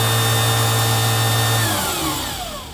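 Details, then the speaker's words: Permanent-magnet DC motor run without load on a current-mode EV controller switching at about 10 kHz: a steady electric whine as it spools up as far as it can, then falls smoothly as it spins down. Normal running. "so when I drive current into this with no load it basically just spools up as far as it can go"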